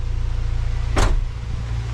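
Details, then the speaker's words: Freshly turbocharged 1996 Acura Integra GS-R, first run after the build, idling below 1,000 rpm at operating temperature while the coolant is bled: a deep, even, smooth idle with one brief whoosh; normal. "Hopefully you can see it well on camera, but we are below 1,000 RPM. The car is at operating temp."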